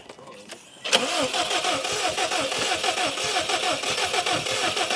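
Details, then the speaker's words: Car cranking on a jump pack at 35–57% charge: steady starter churn with occasional half-catches, nearly starting; owner believes starting fluid would get it running. Cause not confirmed. "oh oh oh bro she'd be going all right dude if we had a little bit oh dang if we had a little bit of E fluid she'd be she'd be eating hard right now"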